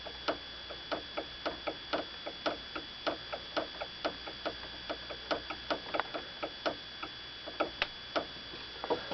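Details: Toyota Avensis T25, knock heard as a suspension noise: light, sharp taps about two to three times a second with no engine noise underneath. Cause was an unclamped brake line, a factory defect with the rubber grommet never fitted.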